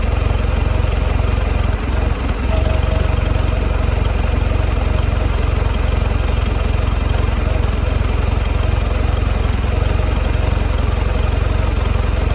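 Deep idle with an uneven, lumpy pulse, about four beats a second that never settles; the outboard is idling rough.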